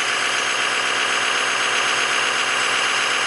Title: exhaust leak at cat flange